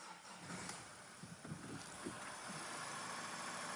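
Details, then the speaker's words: 2014 Mazda diesel, off the road 4 years with knock, smoke and cut-out, after unplugging a faulty exhaust pressure sensor that was pulling the 5V sensor reference to 2.7 V: smooth, even running with no knock or stumble. "I don't know if you can hear that on the camera, but that's the first time it's run properly in 4 years. And it's about as good as it's going to sound."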